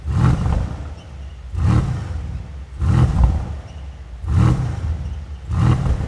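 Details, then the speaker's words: Mercedes-AMG C63S (W205) M177 4.0L BiTurbo V8 after rebuild: five sharp throttle blips about every 1.3 seconds, each with a rough, hollow roar at the rear. Diagnostic shows an exhaust flap fault code, timing good. Faulty exhaust flap. "I ran a diagnostic, we've got a fault code, but it's for the exhaust flap, so timing looks good. But actually if you rev the car, you can hear that exhaust flap at the back there."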